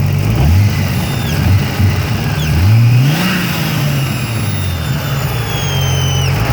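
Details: BMW E30 with turbo M30, running again: engine revs up and settles with a thin high whistle rising and falling with revs; vacuum leak.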